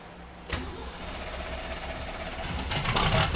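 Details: 1971 Datsun 240Z "Rotsun" turbo, first start after the fuel pump primes: fires right up, then runs lumpy and uneven before picking up revs; a stuck carburetor needle and seat is suspected.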